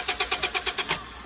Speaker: Said he just had it running. Doesn't sound like she's getting any fuel.